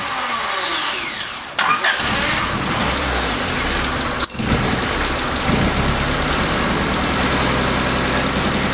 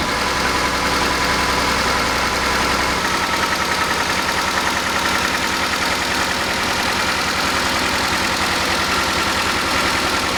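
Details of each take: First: 1988 Honda CRX Si first start after starter swap: catches and fires into a ragged, hunting idle with MAP sensor vacuum line disconnected; check engine code 5 (MAP sensor) set, reconnecting the line didn't solve the issue. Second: 1988 Honda CRX Si restoration, start after cleaning a possibly clogged nipple with brake cleaner: steady, even idle with a clean exhaust pulse and a slight shake, suspected from the missing front engine mount and a worn rear transmission mount.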